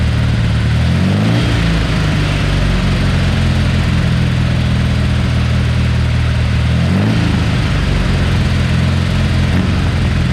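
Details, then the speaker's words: Porsche 912 flat-four just rebuilt (mild cam, minor head work, new old stock Solex carburetors, good exhaust). Oil pressure 60 psi cold, about 38 psi hot at idle. Strong, even idle with two clean blips up and back down, no knocks or misses. Healthy running. "we have actually run this and it's sounding really good oil pressure's good at 60 pounds of pressure when it's cold"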